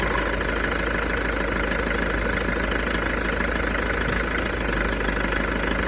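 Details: VW Golf 1.6 TDI diesel, 90,000 km, idling with a loose, uneven clattering rattle about three to four times a second; owner suspects the dual-mass flywheel, not confirmed.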